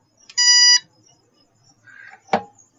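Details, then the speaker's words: Luminous inverter on the bench, battery just connected, one clean half-second beep then a click at power-on: normal power-on beep. "और एक ज़मीनी स्तर पर, इस अब एक बीप की आवाज़। आवाज आएगी।"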